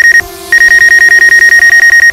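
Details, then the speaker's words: DJI Mavic Air on its first flight in a field: rapid high beeps, about ten a second, repeat nonstop as its obstacle-proximity warning sounds near an object. "you know that beep and a man it's like hey get out of the way dude I'm about to hit you"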